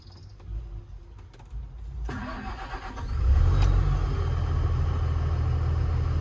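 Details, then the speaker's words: Diesel with 10,000 hours after a suspected bad injector: brief crank, catches and settles into a steady, even low rumble with no misfire or knock and little smoke; healthy start and idle. "that's good. Not loads and loads of smoke, and the engine, I think up into here."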